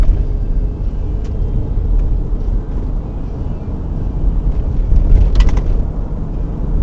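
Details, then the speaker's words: 2000 Toyota Sienna road test after replacing the rear shock absorbers to cure a spring rattle and third-row seat shaking at highway speed; only a steady low road rumble, with no knocking or rattling over bumps. Problem solved. "problem solved not just only these vibrations which is really annoying but also this third seat roll really crazy shaking when you're driv in the highway"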